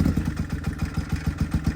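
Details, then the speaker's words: Can-Am X3 after swap to smaller FP Green turbo and removal of MoTeC standalone ECU, fuel pressure low around 50: lumpy uneven idle, loping thump about eight times a second, sounds like two cylinders; rough running, cause unconfirmed. "Well, it sounds like it's on 2 cylinders. See what that fuel pressure is. Fuel pressure is pretty low."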